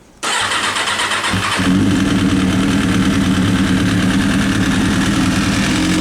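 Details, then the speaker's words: Kawasaki ZX6R motorcycle started in neutral: engine catches and settles into an uneven idle with light top-end chatter; owner suspects the timing chain tensioner needs readjusting. "as a little bit of a top end noise it sounds like to me it sounds like the timing chain tensioner needs to be re readjusted"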